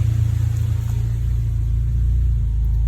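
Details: Honda B18 "race" engine from eBay in DC2, warm at operating temperature, before mapping, new throttle body: steady even low idle rumble, no hunting or misses; idles nicely, unlike with previous poor throttle body.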